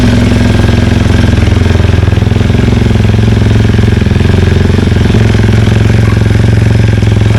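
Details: BMW K1300GT motorcycle just after a fuel pump repair, started on a slight slope. Fast, even idle thumping about three beats a second, holding steady with no misses or stumbles: normal running.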